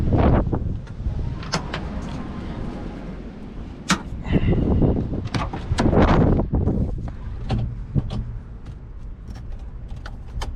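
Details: KA24DE turbo Nissan 240SX S13 drift car, cranking after adding 5 gallons to a nearly empty tank: ragged cranking with uneven sputtering catches that never settle; misfire, fuel pressure good, spark plugs fouled and wet.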